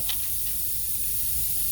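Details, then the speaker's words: 2006 Honda Odyssey flat tire, valve cap removed: steady, sharp hiss of air escaping at the tire valve, unchanging pitch; leak traced to a faulty valve core. "now obviously you could just hear it leak it out there what it's going to be is that valve core"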